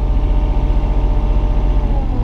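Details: Mini excavator diesel at normal warm idle, nearly at working temperature with the thermostat working correctly: steady, even idle with a smooth low rumble and no knocks, revs easing down slightly at the end.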